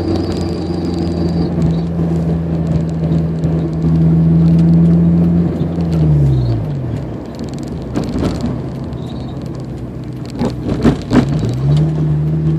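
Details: 2003 Honda S2000, clutch due for replacement: steady drone drops as throttle lifts in gear, then dull pops and clunks from front transmission area; heard around 50°F; driveshaft has few mm play; owner suspects a driveshaft-end bearing, not clutch; unconfirmed.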